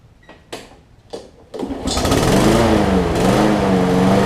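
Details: Troy-Bilt XP push mower after replacing a broken 25mm blade adapter that made it hard to pull, oil changed: a few pull-cord tugs, then it catches and settles into a steady, even run.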